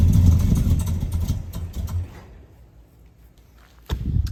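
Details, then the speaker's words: 1972 Oldsmobile Cutlass big block, off the road since the 1990s, first start: V8 rumbles roughly then sags and dies within two seconds because the fuel pump wire came off the battery; fuel starvation stall. "right it died but that's because the fuel pump came off the battery"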